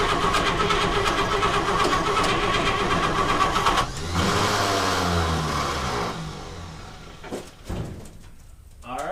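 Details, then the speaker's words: 1952 Chevrolet Bel Air inline-six, sat for years, cranking: steady starter churn at about 160 beats a minute, engine spinning freely but never firing; no fuel getting through, not sucking fuel, starter seems to disengage. "Did we get any fuel come through? >> No gas yet. >> No gas yet. I'll keep going."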